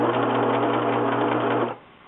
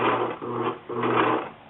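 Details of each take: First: Singer 6412 Millennium Series sewing machine after repair of right-side skipping/grinding: steady even hum and rapid continuous needle rhythm, no grinding; normal sewing. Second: Singer 6412 Millennium Series sewing machine sewing: uneven, stuttering bursts with rough hum from the right side, skipping and grinding caused by a loose internal screw.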